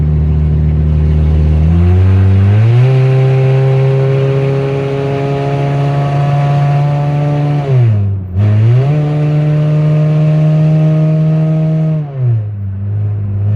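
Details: 2004 Honda CR-V (2nd gen) with stolen catalytic converter, on the road at low speed: loud, raspy, deep exhaust drone rising sharply with each throttle push and dipping on lifts.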